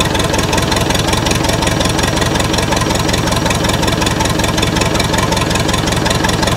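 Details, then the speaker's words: Massey Ferguson 178 diesel, 50-year-old cane haul-out tractor sat for years: even thumping about 2.5 times per second running only on ether; injector pump delivers only a trickle, not enough to idle. "so I'm give I'm going to give it one more shot and of course it sounds like it is running but it's only running on ether"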